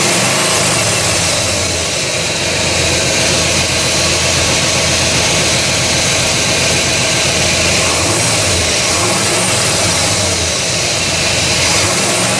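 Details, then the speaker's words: 1969 Buick GS with a freshly refreshed big block (400/430/455) and an eBay distributor: loud, uneven idle with a hissy, ragged beat and no steady rhythm; the ignition timing was grossly over-advanced. "Um, it was grossly overtimed [Music] um by a lot. I'm surprised it was would start so well."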